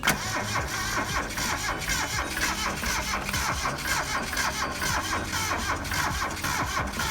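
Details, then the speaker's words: Geo Metro bought at auction, sitting dead, being cranked on a weak battery: slow, uneven cranking that keeps trying but never fires into a steady run; cranks but won't start, cause unconfirmed. "keep in mind the battery is a little weak. Got a nice radio in there. It wants to go, you can hear it."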